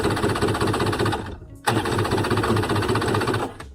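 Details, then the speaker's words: Jet ski with new spark plugs and choke out, two bursts of fast even starter cranking, about four beats a second, with no firing; cranks but won't start; owner suspects a fuel issue, fuel not picking up. "okay so i'm starting to think that this is probably a fuel issue i don't think we're getting fuel it may not even be picking up"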